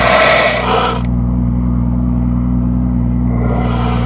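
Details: 2018 BMW M2: a steady drone with a loud, harsh crackling/screeching that cuts in and out through the speakers, the second time this has happened. Cause unknown.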